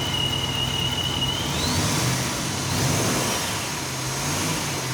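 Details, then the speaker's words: C4 Corvette V8 just fitted with a new helical-gear ProCharger supercharger: steady, even running with a clean high whistle that climbs with revs. Normal supercharger whine, with no vacuum leaks. "That sounds awesome. Oh yeah, still got the blower sound, it's perfect."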